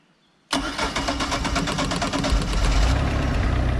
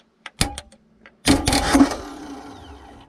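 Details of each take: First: Mercruiser boat engine after starter solenoid replacement, key turned without pumping: silence, then it catches instantly and settles into a steady, even idle with no long cranking or stumbling; normal start. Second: Mercruiser boat engine starter solenoid bypassed by bridging the posts with metal: sharp clicks, then starter whirs freely about two seconds and winds down, so starter works and the solenoid is faulty.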